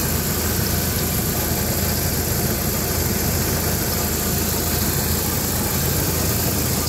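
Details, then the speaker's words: 1997 Jeep Wrangler SE at steady low idle, runs and drives well, no warning lights: faint buzzy rattle underneath, heard at the rear around the muffler; exhaust rattle. "and it does have an exhaust rattle which you can hear back here somewhere around the muffler near the exhaust rattling"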